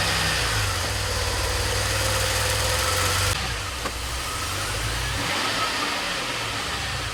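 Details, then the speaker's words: DeLorean after long troubleshooting without success: fast idle drifting up and down rather than settling; owner says this is where idle wants to be and car is drivable, cause not found. "That's kind of where the idle wants to be. It's not that bad. It's actually very drivable."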